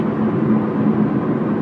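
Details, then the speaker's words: Subaru Impreza hatch, 5-speed manual, highway cruise: steady even road and drivetrain rumble with a slight hum, no thumping or shudder; intermittent bearing-type vibration absent at this moment, driveline running smoothly. "here a little humming but I don't hear any helicopters following me and cars nice and smooth again"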